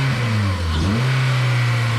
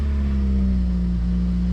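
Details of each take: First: Honda EM2 with K-series swap, first start after exhaust work: revs sit high and swing instead of settling; the owner calls it K-series high idle and thinks the loose battery may be holding the throttle cable open, not confirmed. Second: Honda EM2 with K-series swap, first start after shift cables and exhaust were fitted, run on a jump pack and battery: deep, even exhaust drone at idle with no misses or rattles; a suspected exhaust or intake leak turned out quiet, and it runs normally.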